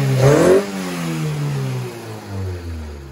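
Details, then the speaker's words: Honda Civic after PCV valve removal and idle screw adjustment on throttle body: quick throttle blip, revs drop smoothly and settle into an even idle without hunting; idle issue fixed. "and the idle stays the same holy [ __ ] i think we just fixed it on camera"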